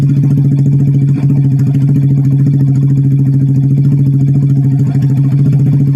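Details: Old Vega R bored up with a Kawasaki Kaze oversize 50 piston, previously smoky and rough, after rebuild with exhaust fitted: steady even low thump at smooth idle, no knock, rattle or miss, not smoking; normal running.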